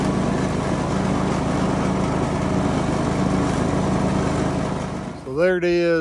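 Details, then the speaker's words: Craftsman DLS 3500 riding mower, test run after fixing the deck pulley and belt. A steady engine drone with a smooth hum and no squeal or rattle; it runs clean. The mandrels are not loud. "I don't know if you can tell but that sounds a whole lot better sounds like a smoke"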